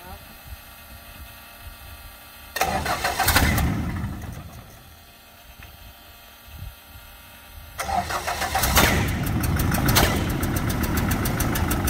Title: 1st Start Backfiring